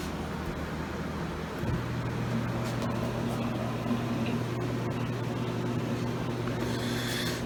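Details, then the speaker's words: Samsung DW-ADR5061UG dishwasher in its drain phase after rinse during a cleaning run for bad odor, 1:39 remaining: a steady low drain pump hum starts suddenly and holds under the wash noise, normal drain. "and now it's draining 39 which is 100 which is an hour and 39 minutes right now"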